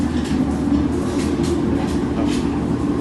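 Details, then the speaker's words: Whirlpool automatic inverter washing machine, noisy in wash and spin: heavy continuous low rumble with faint swishes as the drum spins. The rumble means a failed gearbox, to be replaced; failures are usually blamed on overloading. "So ibig sabihin guys pag ganyan yung tunog ng washing machine sira na yung gearbox niyan pagka dumadagungdong kapag umiikot no."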